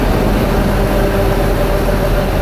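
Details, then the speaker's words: Bourgault 7000 air seeder with Auto Section Control, X30 high-rate check: steady heavy drone with faint mid-pitched tone as metering shafts ramp up and back down; normal operation. "Listen to the shafts ramp up, back down,"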